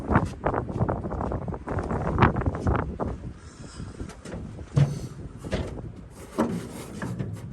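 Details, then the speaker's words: Abandoned 1962 International Harvester B-series farm truck, long-sitting: ragged uneven firing that catches, surges and fades in bursts; runs only on gas poured down the carburetor throat, not getting fuel supply from the tank. Cause suspected, not confirmed. "because it has no brakes and because it will only run uh with the gas that we're pouring down the uh down the throat"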